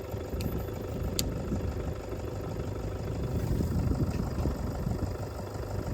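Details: Ford tractor diesel, which had revved and died and then would not bleed, now idling. Steady, even low clatter with no misses; owner says it sounds better, healthy idle.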